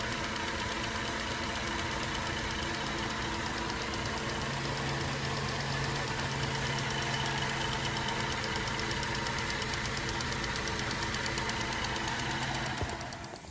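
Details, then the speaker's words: Cadillac CTS with about 100,000 miles on replacement engine (previous motor had bad, loud-ticking lifters): smooth, steady idle, even low hum, no top-end tapping; sounds healthy, though dipstick later read dry. "so you can't hit no T you don't hear no ticking than that that guy sounds good bro"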